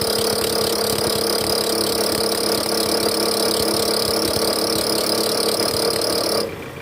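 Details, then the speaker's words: Toyota Alphard ANH10 Gen 1, 2.4L engine (described as 2AZ), revved to about 1100 rpm in R with AC on: rough growl with steady squealing from the right side of the engine, a belt tensioner with a weak spring, fixed by replacing the tensioner assembly. "Ini bunyinya pada saat mesin hidup masuk posisi R dan juga AC on ya guys, digas. Ini bunyi ngorok dan berdicit di bagian mesin area kanan sini nih. Ini bunyinya dari tensioner guys."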